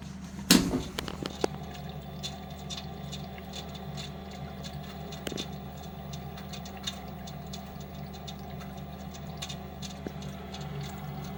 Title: Lenox furnace slugging and ticking sound.